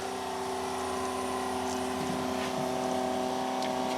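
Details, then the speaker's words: 1982 Ford Granada revived after sitting for years, temporarily wired electric fuel pump with key on: steady, thin electric hum with faint pulsing about four beats a second, delivering fuel; pump runs normally, though the fuel pump and filter leak. "i turned the key and the fuel pump came on and squirted a bit of gas in there"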